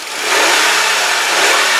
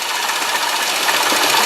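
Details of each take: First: 2001 Hyundai Santa Fe GLS 2WD: five clean throttle blips, pitch rising and falling smoothly, no lifter, valvetrain or high-rev knocks; a rattling elsewhere noted, timing belt and pulley may be needed within 10-12,000 miles. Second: 2001 Hyundai Santa Fe GLS 2WD at idle: fast light metallic rattle, steady and thin like a sewing machine, believed to be inside the timing chain cover, possibly a pulley; revs otherwise clean with no lifter, valve train or high-rev knocks.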